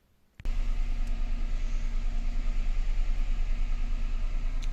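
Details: Peugeot 107 (C1/Aygo platform) after repairing the electric power steering unit's burnt Omron G8QE-1A power relay contacts (code C1554): steady, even low idle with a smooth pulse, no knocks or whines. No errors remain and the steering works. Normal idle.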